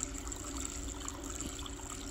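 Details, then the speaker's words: Harbor Freight battery-operated liquid transfer pump, gasoline-safe, during a runtime test: steady strong liquid hiss over a faint constant motor hum, pumping far more than expected; normal healthy flow. "oh wow that thing's pumping out actually a lot more than I thought it was going to look"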